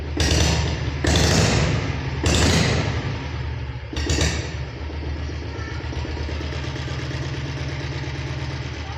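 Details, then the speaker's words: Restored Royal Enfield Bullet diesel motorcycle with newly fitted remote start, just started: a few heavy thumps, then a slow, steady single-cylinder diesel beat at idle, no knocks; healthy. "இப்போ start பண்ணி காட்டினாங்க, வண்டி ஓடிட்டுருக்குது."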